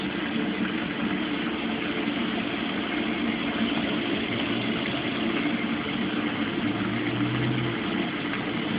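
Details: Mueller Special Brazilian washer, cold-fill-only machine that heats water itself, duvet load on 60°C wash with extra rinse, start of cycle: steady even rush of water pouring into tub, no hammering or buzzing; normal cold fill.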